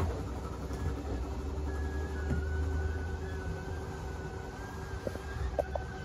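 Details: Steady low electric motor drone with faint whine as a slide-out extends normally on a 2023 Forest River Chaparral Lite 30BHS travel trailer; clicking signals full extension.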